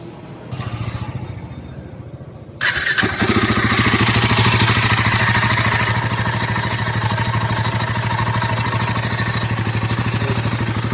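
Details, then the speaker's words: Royal Enfield Himalayan 450, about 500 km, the reference bike from the same lot: it settles into a steady idle, then holds revs raised to about 3 (thousand) rpm with an even beat and no rattles; a healthy engine. "अभी मैं increase कर रहा हूं ू 3 RPM 3 RPM पर hold है तो यह है इसका आवाज"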